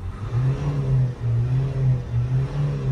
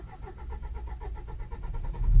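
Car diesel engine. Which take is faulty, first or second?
second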